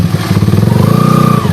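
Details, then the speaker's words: Honda Sonic single-cylinder motorcycle engine being built as a dirt bike, before repair: high whale-like whine rising and holding over revs from worn primary drive gears; engine later opened to reduce the whine. "โหเอ๊ยนี่นะครับเสียงหอนนะนี่นี่มีเสียงหอนเป็นปลาวาฬเลยนะครับโห่"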